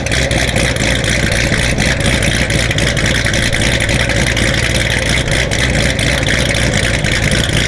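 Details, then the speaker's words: Built C7 Corvette Z06 with aftermarket cam and high-pressure fuel pump, 70°F day, start-up: loud lumpy V8 idle with choppy uneven lope and crackly exhaust bark; healthy engine with a big cam. "I'm going go ahead and start it it for you guys let me know in the comments y'all think it is chop"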